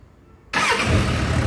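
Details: Motorcycle electric start after the broken starter weld was redone: brief quiet, then the engine catches at once and settles into a steady, even run; the starter works properly.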